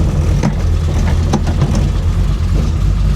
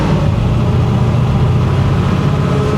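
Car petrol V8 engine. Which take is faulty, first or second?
first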